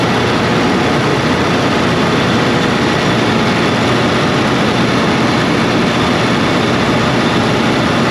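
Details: Cummins QST30 V12 900HP diesel after thermostat replacement and coolant refill: steady, heavy roar holding even speed, no knocks, misses or surging; engine running healthy.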